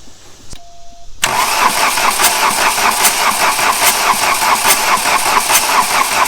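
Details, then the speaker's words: 1989 VW Jetta diesel 5-speed, about 118,000 miles, parked 14 years; fuel shutoff solenoid has 12 V, warm-up lever pulled, not yet bled; starter churns at two to three pulses a second, never catches; cranks but no start. "i'm just gonna pull the warm-up lever on the dash let's turn this thing over i don't know and see if it'll crank"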